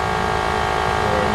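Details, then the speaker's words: 2003 Lexus GX470, about 180,000 miles, rear air springs leaking: steady electric motor hum with constant buzzy tone as the air suspension compressor runs to raise the vehicle back up. "okay as you can hear the compressor running and it's going back up"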